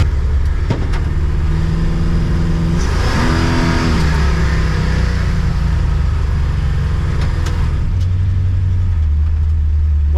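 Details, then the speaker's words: Oldsmobile Cutlass V8 on a road test after carburetor air-door adjustment and distributor retimed with copper advance springs (about 25-26° idle, 38° total), smooth deep even drone under acceleration, responsive, the spark knock appears gone. "one more road test uh shows the spark knock appears to have gone away you step on it it's it's pretty responsive"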